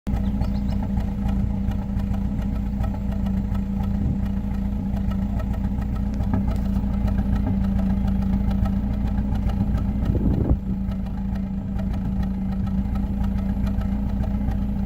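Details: Acura Integra misfiring at cold idle with dropped beats and a brief flare, after overheating with low coolant and a fan that didn't switch on; owner suspects a leaking IACV or EIC gasket letting coolant into the intake.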